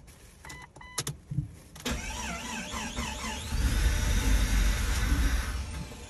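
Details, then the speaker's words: Freshly built Jeep XJ 4.0L inline-six, first startup after priming the fuel rail: clicks, then the engine fires and runs with an uneven, stumbling beat, missing badly; injectors suspected, not confirmed. "it kind of wants to [Music] all right all right calm down we're getting somewhere you know honestly it probably is those injectors but let's"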